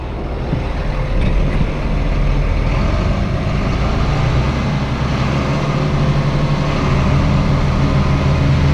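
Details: 8300T truck diesel after an engine rebuild, at final assembly before a test drive: deep rumble climbing smoothly as a little throttle is added, steady, with no knocks or misfires; normal running under light throttle.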